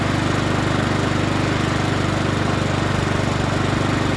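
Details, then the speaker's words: Troy-Bilt TB130 21-inch push mower with Honda GCV engine, reported as not starting; quick, regular firing beat holding an even speed with no misses or surging, restarts and runs healthy. "bad don't sound too bad let's start it up again sounds pretty good"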